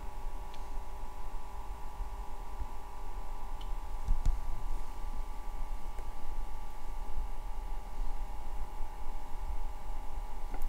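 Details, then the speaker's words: IKEA VINDRIKTNING PM2.5 air quality sensor running near a candle: very quiet steady soft whir with faint constant tone as it starts measuring and the light pulses brighter; just a small, normal fan sound, not completely silent. "seemed that the light kind of pulsed brighter slightly as it started to do the measuring and the noise kicked in so it's not completely silent but again just a small fan sound"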